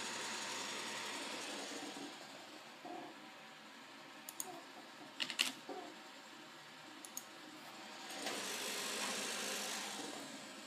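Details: One-month-old PC with an R9 280X graphics card: fan swells to a loud, harsh rushing noise when set to 75% speed, normal at 40 and 55; abnormal fan noise for about a week.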